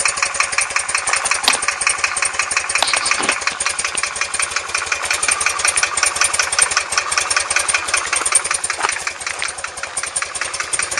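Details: R100S engine about 500 km after a rebuild, with heads retorqued and rockers and rocker side play adjusted: a fast, even ticking knock of about three per second on the left side when cold, gone when warm; piston pins and con-rod bushings later found fine.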